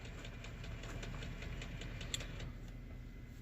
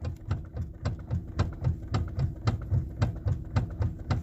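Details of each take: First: 2015–2018 Lexus ES350 after steering noise repair, engine idling while wheel is turned: light regular ticking only, no groan, clunk or whine; power steering quiet and healthy. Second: Lexus ES350, customer complaint of steering noise when turning: repeated dull clicking knocks, about three a second, from the front end as the wheel is turned; steering to be opened to find the cause, not yet confirmed.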